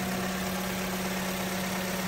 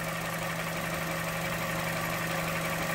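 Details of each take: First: Vauxhall Corsa with a P0171 lean code, just after replacing the PCV purge control valve: steady, even idle with a low hum, no stumble and no engine shake, sounding healthier than before. Normal idle. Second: Vauxhall Corsa petrol engine at idle with EML light coming and going, code P0171 system too lean bank 1: steady hum with slightly uneven, loping pulse, engine visibly shaky; rough lean idle from faulty purge control valve, fixed by replacing it.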